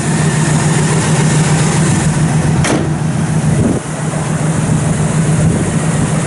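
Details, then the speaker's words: Frame-off restored 1971 Chevrolet Nova SS that fires right up into a low, quiet, steady idle rumble with no knocks or misses; runs healthy. "Thing fires right up."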